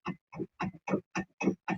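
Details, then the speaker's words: Front right suspension noise, car on lift: seven short, even clunks in under two seconds as the wheel is rocked, from play in the worn right tie rod end; shocks not at fault. "Chegou com o barulho lá direito do carro dele, a gente foi dar a volta, né? Identificamos que o pivô estava com foga, terminal direção, na verdade, né?"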